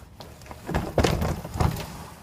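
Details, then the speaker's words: Sliding glass door: it rolls with uneven loud thumps and clatter instead of a smooth glide, bouncing over a badly wavy track damaged by a damaged door wheel. "so then you roll this door across that instead of rolling smoothly it's just bouncing all over the place"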